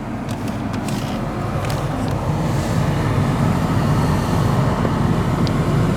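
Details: Lexus 200h with the car powered on and the AC blower fan at high speed gives a steady low grumble and rumble, a vibration felt through the vehicle, from a worn blower motor bearing.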